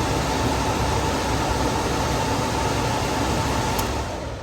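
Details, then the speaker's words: Goodman furnace, thermostat off, blower tested by jumpering R to G on the board: steady, even rush of air with a faint constant hum and no knocking or scraping; blower motor good. "So if that happens, that means that your blower motor is good."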